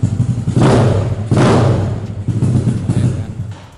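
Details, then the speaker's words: Yamaha Mio SOHC 4-valve scooter with modified exhaust and longer silencer, idling then blipped: lumpy idle broken by four loud raspy exhaust barks; exhaust still too loud. "Suaranya lumayan ya. Ini udah pakai silencer yang agak panjang. Suaranya masih kayak gini."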